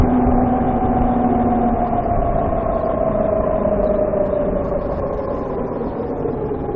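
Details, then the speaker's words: VX1 warmed up, riding under load at lower speed after a hill climb: loud steady tone with a fainter lower one, slowly drifting down in pitch. Suspected transmission chirp, louder when warm, starting around 30 mph. Cause unconfirmed. "That was another hill, and it was nice and loud, if you can call that nice. It seems like once the transmission is warmed up, it's louder."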